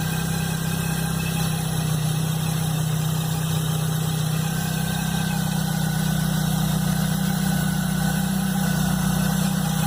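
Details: Chevrolet Blazer at cold idle, noise first heard the morning after a mechanic replaced the timing belt and upper belt: loud, steady low rumble with a rough pulsing undertone, no clear knock or whine; source unknown.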